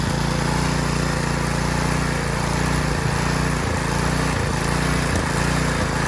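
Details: Garden Machines edger, 3.5 hp Briggs flathead, after refitting the air cleaner with a used filter: it buzzes along at a steady speed with only a few slight dips, starting and running fine.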